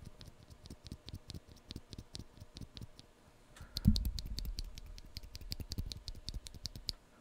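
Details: Epomaker EP84, switch after oiling the spring, compared against an unlubed one: light, even clacks roughly twice a second, no scratchiness or spring ping; lubed switch smooth and consistent.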